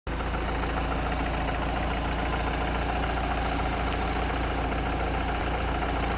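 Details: Mitsubishi Evo 8 at even idle with a light, fast tick over the engine note from a dead (collapsed) hydraulic lifter.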